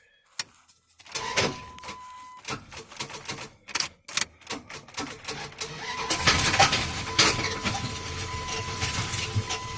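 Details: Dodge 5.9 V8, seized engine worked with a pipe wrench, cranks slowly with loose clacks and starter whine, then catches into a rough, rattling run from a rod knock.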